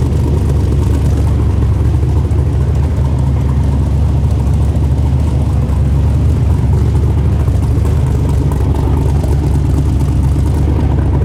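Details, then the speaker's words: LS3 V8 rock buggy with owner's tune; deep even rumble holding smooth idle over ten seconds, no misfire or hunting; idling better than before; minor leak and possibly low transmission fluid noted. "Ran okay, idled okay. It's idling better than it was before."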